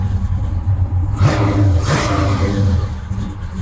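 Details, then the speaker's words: 1965 Chevy Malibu SS with fuel-injected 502 V8, just started after fuel pump prime, starts every time: deep even rumble rising into clean revs and settling back; healthy, no misses or knocks. "I don't know how these tires are gonna keep the power down. Oh, find out, I guess. Oh man, it sounds mean."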